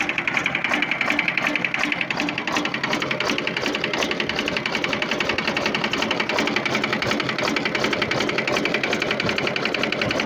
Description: In this video, I investigate a severe knocking noise coming from a Volvo TWD121 stationary 6-cylinder diesel engine. The engine exhibited a loud knock, and I suspected internal mechanical failure.(the exhaust valve was broken then the piston smashing the pieces that causing a loud worst knocking sound)